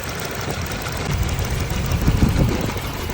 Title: Engine Missing Problem Top 1 Cause #missing #misfire #shorts